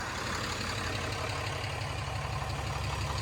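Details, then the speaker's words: 2016 Ram 2500 diesel during its no-load break-in idle after a new Fleece Cheetah turbo replaced the OEM turbo with a failing actuator; steady, even clatter with a smooth low rumble, no misses or odd noises; healthy idle. "fire it up and just let let it idle they said 3 minutes we'll let her we'll let her idle for about 5"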